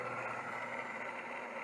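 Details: Old voice-coil hard drive powered up: steady, rough whirring hum with a raspy edge while the disk spins; spindle bearings worn out, owner may try oiling them.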